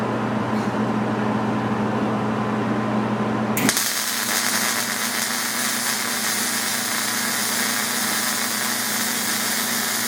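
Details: MIG weld run with the pull technique, nozzle held very tight to the deck (short stickout): after the machine hum, a steady crackling sizzle like frying bacon, even and consistent throughout; a stable, normal MIG arc.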